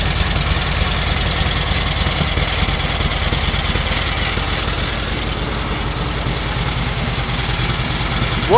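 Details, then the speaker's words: 1938 Matchless Model X 990 cc V-twin just started after several years laid up, choke closed, ignition advance uncertain: even loping beat at steady idle, no misses or knocks, some exhaust smoke from oil; normal idle. "sounds okay mechanically bit of smoke from the exhaust so it's obviously plenty of oil getting in and around the engine how about that then"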